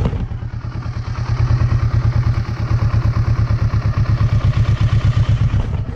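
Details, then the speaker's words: Kawasaki Versys 650 with idle lowered to about 900–980 rpm per scanner: on a short starter press the engine hesitates and nearly stalls, slow heavy thumping idle about three pulses a second; idle set too low. "uma leve apertada já vou soltar ó quase afogou vocês perceberam como ela hesitou e quase afogou"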